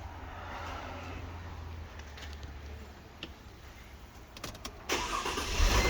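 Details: 2007 Mercedes-Benz C230 with the 2.5 L M272 V6 at idle, codes P0016/P0017; light regular knocking rattle about four times a second, same whether cold or warm; suspected timing chain slap, cam adjusters or guides, not confirmed.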